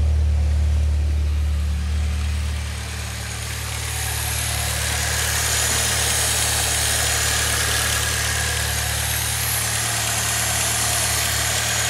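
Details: 2006 Saab 9-3 2.0T, 189,000 miles, just after valve cover gasket replacement: steady, even idle hum with a smooth low drone and no knocks or ticks. Healthy normal idle; the repair appears successful.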